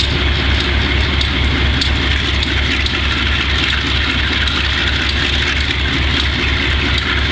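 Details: Wimpy MTL B30-7 diesel locomotive with bad injectors: a heavy thrum with an uneven, lumpy misfiring beat. Fixes included changing the air intake and some injectors and checking the valves.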